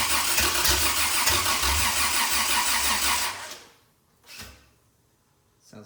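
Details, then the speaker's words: Toyota 2F after full rebuild, first start with new lighter starter: starter cranks steadily about three seconds with only weak attempts to fire, then stops; engine flooded and won't catch. "but it seems like it tried to hit a few times yeah I thought I felt it sounding you want to cough yeah in the life but not real strong"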